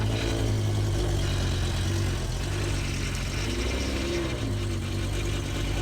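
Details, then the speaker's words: BMW M6 V10 being rebuilt, just cranked: low, uneven idle that wavers and stumbles; sounds terrible, running rough, cause unknown; car wouldn't move in gear, transmission fluid suspected low. "The noise is terrible. Oh, it sounds terrible. That sounded really bad. Something is severely fucked up with that."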